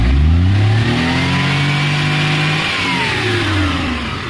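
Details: Maruti Omni CNG/petrol van with an automatic gas/petrol switch and new carburettor, running on petrol: quick pickup, smooth rising and falling revs with no stumble or misfire; healthy.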